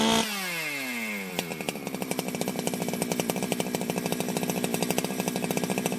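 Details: Ported Jonsered 2071 chainsaw after rework, first start after re-tightening the crank; owner feared it may have flooded. It catches after a rising pull, then settles into a crisp, even two-stroke pulse with no misfire or sag: normal running.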